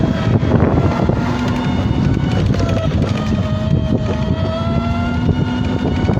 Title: Scooter grinding noise